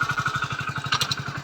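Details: Hero Splendor Plus BS6, 24,000 on the clock, after a third clutch-plate change and engine oil check: even single-cylinder putter at about seven beats a second with no slipping or clatter; normal idle.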